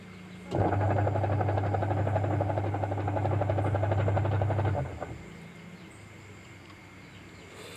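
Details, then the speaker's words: Jumbo Sharp Dolphin top-loader washing machine on timer agitation: loud, rough low drone with rattly pulsing; noisy when washing, smooth again after repair. "Keluhannya itu kalau dipakai nyuci itu suaranya berisik, Teman-teman, ya. Nah, ini untuk timernya kita putar dan suaranya seperti ini."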